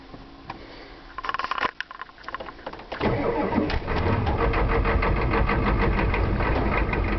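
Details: 1992 7.2 IDI diesel after the glow plugs were run, also happening when warm. Sluggish cranking slows as if the batteries were dying, then speeds up until the engine catches. The owner blames a failing starter, not batteries or wiring, and will replace it.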